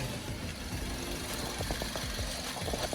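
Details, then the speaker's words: Used 2006 Suzuki Swift automatic, pre-purchase check, heard from under the car: idle ticks over with an even, steady beat, no knocks or misses. An even rhythm means normal; uneven clatter would suggest damaged parts. "Dan kita lebih mendengarkan suaranya kalau iramanya rata kayak gini itu berarti normal ya biasanya genjang cecak itu mungkin ada beberapa besi atau komponen yang rusak"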